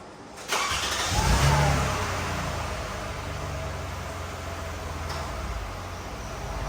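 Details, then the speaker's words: Car engine started after AC recharge: catches and settles to steady idle with a faint extra hum as the AC compressor clutch engages and runs smoothly. Normal compressor engagement. "can hear the compressor kicking. Cold, super cold."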